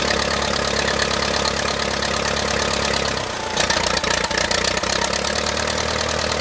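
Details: 1959 Case 300B (311B) tractor, 4-cylinder gas engine, parked outside 10 years, after a quick file on the ignition: catches and settles into a steady, even idle with no knocks or misses; runs as it should.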